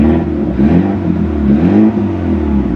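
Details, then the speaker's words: Auction car with missing muffler, charging malfunction warning, leaking valve cover gaskets smoking: revs climb and drop with raw droning raspy unmuffled note; loud exhaust from the missing muffler. "God that's so"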